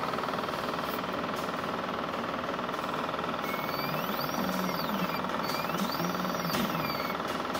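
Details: Uniz UDP resin printer on its first print of 28mm miniatures: a continuous low rumbling churn like a small freight train, with rising and falling whooshes as the plate pulls hard off the resin tray. The cause of the noise is unknown.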